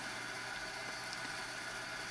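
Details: HP 8656B signal generator, first power-up to check fan noise: quiet steady airy whoosh with faint constant tone, no rattle or grinding; fan audible but acceptable, normal.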